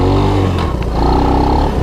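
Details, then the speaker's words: 1983 Honda ATC185S three-wheeler on a ride: engine revs, then drops sharply with a short hard knock as it goes into gear; harsh gear engagement because the shifter clutch needs adjustment. "yeah you hear that bang so this is a gearbanger boy"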